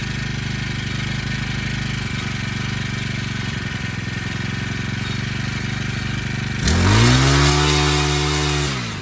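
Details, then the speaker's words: Honda Harmony FG100 small tiller, carburetor fixed after sitting: single-cylinder at steady, even idle, then revs up cleanly and holds the higher speed before easing off; normal running. "Well, she ran great. Happy, very, very happy with that."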